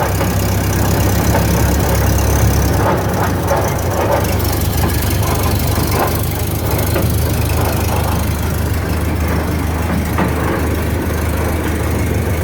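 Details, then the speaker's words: 1929 Ford Model A pickup on jacks, running in gear: heavy, uneven clatter under the driveline drone, heard even at shutdown and in neutral; rear end suspected, possibly a damaged splatter gear, unconfirmed. "it sure sounds like it's coming from the rear into me pull up under here I'm thinking one of the splatter gears is messed up"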